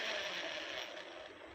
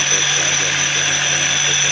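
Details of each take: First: Mahindra Treo Plus 8 kW EV motor, unable to be driven because of the noise: harsh, high metallic grinding rattle that fades as it slows. Upper bearing is worn and the upper gear runs catchy. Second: Mahindra Treo Plus 8 kW EV motor test run after repair for a sound problem (rotor, bearing, gear): steady, even whir with a constant low hum and no grinding, knocking or rattle; motor and gears running normally.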